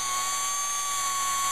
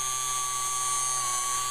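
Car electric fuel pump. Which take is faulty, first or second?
second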